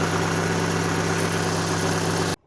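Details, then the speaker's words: Fiat Panda started after engine flush and oil and filter change, checking for leaks: smooth, steady idle hum with even low rumble, no ticking or knocking until cut off; oil light now off, engine sounds healthy. "Right, we've got no oil lights. Looking good, looking good."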